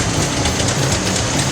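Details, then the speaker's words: 1955 Packard Patrician V8 after mechanical fuel pump rebuild and diaphragm valve clearance correction: busy, even idle with a smooth mechanical hum and no knock or miss. Normal idle. "Really? Oh my gosh. Hear that baby purr."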